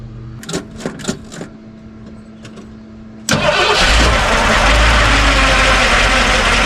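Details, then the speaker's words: Ford F-100 freshly swapped V8: a few clicks, a quick start into a steady idle with a faint thin whine riding over it from the timing gears. "forth hear those tiny gears isn't that annoying not sure but I think I hate it"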